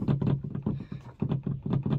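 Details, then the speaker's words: Polaris Ranger XP 1000 Crew UTV, owned 2 years, sitting with the front windshield open: loose clattering bursts several times a second over a low engine drone as the windshield hinges rattle. "that noise is in the hinges it is so annoying driving down the road and having the windshield up and having the hinges just rattling like crazy"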